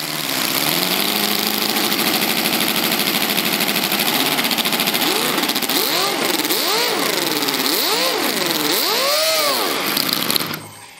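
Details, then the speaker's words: V8 model engine with rotary valve, test run without exhaust: revs surge wildly near full throttle because the throttle servo stopped responding. The engine ran away until it ran out of fuel and died abruptly. "did you see what happened the engine went out of control at almost full throttle because the servo stopped responding luckily it ran out of fuel and stopped"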